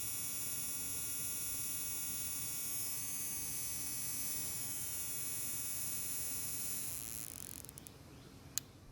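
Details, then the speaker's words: Toro mower's non-OEM multi-point spark plug (E3-type) on a spark tester: steady high buzz for about seven seconds; plug fires, mostly from the right side, occasionally the left. "well the spark plug works but it's hard to tell that it has sparks from multiple points all the time it did eventually spark a few times from the left side but most often it only sparks from the right side"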